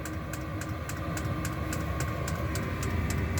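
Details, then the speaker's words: Diesel air heater in a solar-powered shop starting up: steady combustion blower roar with a light, fairly regular fuel pump tick two or three times a second; normal operation. "So you can hear it kicking in now. Hear the little pump clicking."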